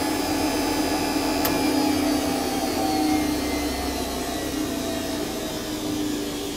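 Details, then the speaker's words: Centurion tank, heard from the gunner position: the turret AC generator starts up with a loud steady high whine like a vacuum cleaner, holding an even pitch; normal start-up. "um the uh AC generator startup that'll be the first loud noise you can hear that go"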